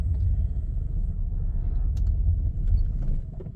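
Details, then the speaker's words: 1998 Jeep Grand Cherokee ZJ 5.9 Limited, restarted after sitting two days, check engine light on, no gauges, fuel pump not heard: low rough idle that sags and dies when given gas; owner suspects electrical problem. "I tried to give it some gas and it died. It's got electrical problems of some sort."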